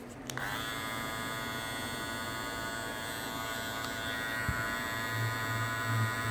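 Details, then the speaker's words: Andis Master cordless hair clipper, new, after reseating lid/cover in its groove to cut vibration noise: starts and runs with a steady high buzz, even and free of rattle; normal running after cover reseated. "good it should be quieter when I listen to watch this back was spitting right in that groove really beautifully"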